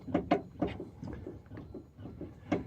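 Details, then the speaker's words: 2016 Renault Mégane IV Grandtour with strong clattering at the front axle: loose, hollow clacks in uneven bursts; traced to a worn front anti-roll bar link with play in its joint, then replaced. "seit einiger zeit habe ich ein starkes klappern an der vorderachse"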